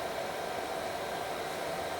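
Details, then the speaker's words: Power Mac G4 Mirror Drive Door "windtunnel", dual 1 GHz, 256 MB DDR, 80 GB HD: loud even rushing air with faint steady hum, no speed change, heat output definitely getting hot; loud cooling fan noise. "This thing is really loud. And yeah, the the heat output is getting kind of it's definitely getting hot at this point."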